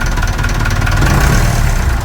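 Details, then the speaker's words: Perkins 4236 marine diesel in a sunk narrowboat, idling cold just after first startup; steady low rumble with an even, unbroken firing beat, no misses or knocks. Normal idle. "Oh, that's still sweet, isn't it? Oh my god, I can't believe it."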